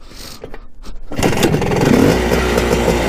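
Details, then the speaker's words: Honda CR250 two-stroke dirt bike, bought non-running and revived, first start before first ride: a few kicks, catches at once and settles to a crisp, low, even idle (idle set very low, may shut off); starts right up, runs great. "i mean doesn't get much better than that starts right up runs great pretty awesome i've got the idle way low so it shuts off"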